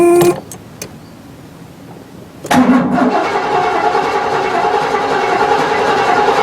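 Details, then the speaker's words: Junkyard 1975 Cadillac Fleetwood engine, not run since 1998, cranked on battery to check it is not seized: after a pause the starter spins it evenly with no binding or clunks; engine not locked up. "well I guess that confirms that the motor's not locked up you can't kill a Cadillac engine"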